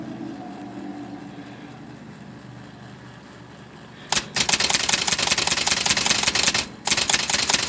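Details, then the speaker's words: Smith Corona electric portable typewriter with O-ring replacement drive belts: motor hum sags under rapid key strikes about 2.5 per second; loose O-ring belt slips under load and nearly stalls the machine. "So it's on, and when you're typing with this bounce, this actually slips, and I want to run the X here. You see it slow down."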